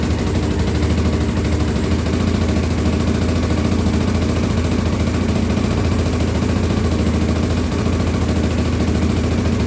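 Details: 1983 Honda XL600R first start after top-end rebuild (1mm overbore, Wiseco 11:1 piston, Megacycle stage one cam, heavy-duty springs, rebuilt carbs): deep steady thump about three pulses a second, loud and even, no tapping or rattle; normal running.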